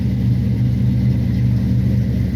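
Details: A 1967 Barracuda V8, 1970s Barris Kustoms custom, just caught after sitting roughly a year. It gives a deep, steady low rumble with an even beat and no knocks or misses, running smoothly.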